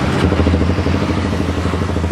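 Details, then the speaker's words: Honda CBR250RR twin after a quickshifter/launch control install, during RPM calibration. Steady, even idle around 1500 rpm, matching the app's 1000–1500 reading, with no misses, knocks or surging. "lihat idle-nya ya. Idle-nya di 1500-an ya."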